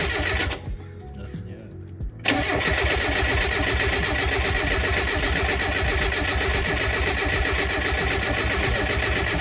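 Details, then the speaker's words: Turbo Miata on a standalone MegaSquirt ECU, first start after a months-long rebuild; the fuel injector relay is pulled to check oil pressure before starting. Steady, rapid cranking around four beats a second, strong and even with no firing; the engine turns over healthily. "I'm going to pull the fuel injector fuse which is right here that way we can make sure we have oil pressure before we try to start it up"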